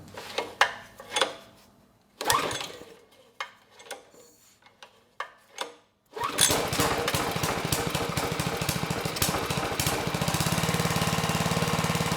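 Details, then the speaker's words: GiantVac push leaf blower with Briggs & Stratton 126412 engine, started on low speed with choke open after a few pull-cord tugs, catches at once into a steady, even drone; runs well despite carburetor issues, normal running. "nice okay good no surprises the engine started right up it sounds good and the carb despite its issues actually ran the engine pretty well"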